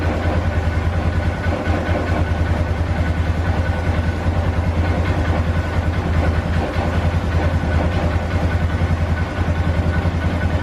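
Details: 2012 Polaris Sportsman 400 HO that bogged down and died, after idle fix: settles into steady even idle with regular low thump, no stumbling or dying; normal idle.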